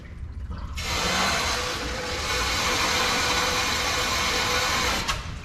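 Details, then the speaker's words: RPZ backflow preventer on a demonstration wall: sudden steady hard rush of water held for seconds then cut off; relief valve dumping on inlet pressure drops, working as designed. "a lot of dumping the RPC is doing exactly what it's supposed to do but they don't want to see water on the floor"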